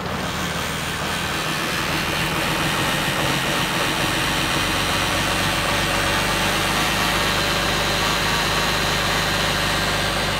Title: Cummins Cold Start Whining Noise